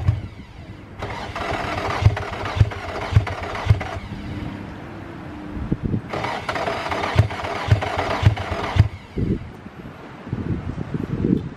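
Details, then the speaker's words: Infiniti G35 after tightening starter connections: two long bursts of even cranking, near two pulses a second, never catching; owner suspects it wants fuel or old fuel, later starts with a little smoke; crank, no start. "it's almost like you want that it's almost like it wants some gas or it want that new old fuel like maybe the car tip too much"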